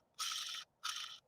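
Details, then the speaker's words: Ball bearing of an ergonomic rotary cutter, disassembled and spun near the microphone: three short, smooth whirring spins of about half a second, light and even, no grit or clicking; normal free-spinning bearing. "But that's the sound of that ball bearing spinning so freely and making it work so easy."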